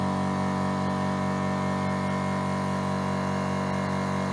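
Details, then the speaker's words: Mollar AC1550BP-R Black Panther 50 L oilless compressor (1 HP, 2,850 rpm) auto-restarting near 5 bar to refill to 8 bar: steady even hum, constant low drone, no knocks or rattles; normal refill running. "Oke ya, dia nyala otomatis ketika tekanannya mendekati 5"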